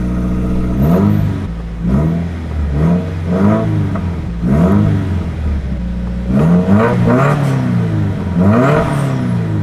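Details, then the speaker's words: Subaru just after its broken exhaust was repaired with replacement parts, new part burning in: deep, even exhaust note rising and falling cleanly through throttle blips with no rattles or leaks; normal revving, exhaust fixed. "Sounds good. Because we're burning in the new part, you can smell the new exhaust."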